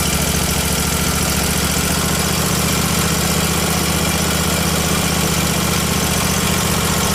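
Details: Miller Trailblazer welder's small gas engine, after fixing air leak at crankcase-vacuum fuel pump suction clamp: ragged unsteady drone, fine when choked; running lean, suspected vacuum leak between carburetor and engine or fuel delivery issue.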